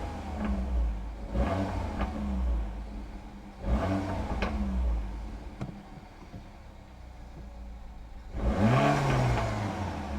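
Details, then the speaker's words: Peugeot 308 GTI after fitting an Airtec intercooler, AFR about 14.7, checking it holds boost: engine revs up and drops back, each lift-off bringing a short airy whoosh; normal turbo boost and blow-off. "can obviously hear the turbo going off. Great. Mission success."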